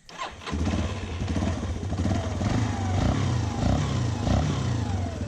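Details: 2006 Yamaha Raptor 350 single-cylinder, choke on: steady, even beat with crisp throttle blips, no knocking or grinding; engine sounds healthy, though owner reports a transmission knock, mostly in first gear.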